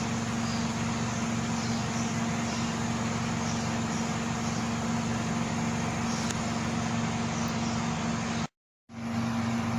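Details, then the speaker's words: Euronda E8 autoclave after preheat, in alternating vacuum and heating phases: steady low hum with even mechanical churn and a brief dropout; vacuum pump cycling normally. "Vous entendez le bruit du moteur. Il a déjà fait un préchauffage."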